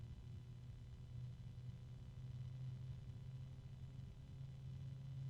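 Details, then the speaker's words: Small 3-pin sleeve-bearing case fan running fairly quiet: low steady hum under soft airflow whoosh with tonal harmonics and slight rubbing, expected to get louder over time because of the sleeve bearings. "Sleeve bearings. And it's pretty quiet. It won't stay that way because it's sleeve bearing. You can hear a little bit of rubbing. Harmonics."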